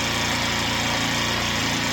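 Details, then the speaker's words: Chinese Amazon mini bike small single-cylinder engine, first start, choke off after warm-up, some oil in cylinder: quick, even, quiet ticking pulses with no misses or knocks; running smooth, healthy idle. "it's pretty quiet you guys can hear me talking even though it's funny that's not loud it is"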